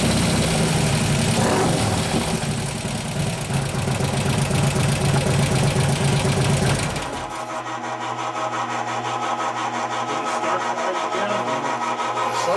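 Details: 2015 Harley Road Glide 103ci Twin Cam just after a camshaft install: quick steady ticking about four per second over a lumpy V-twin idle while the lifters pump up, seemingly loudest at the front intake lifter; hydraulic lifter tick.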